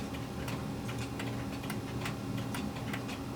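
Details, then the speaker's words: Pendulum clock during beat adjustment by bending the crutch: crisp ticks about two per second with slightly lopsided tick-tock spacing, better but still slightly out of beat. "test it again it's a little better but we're going to keep going"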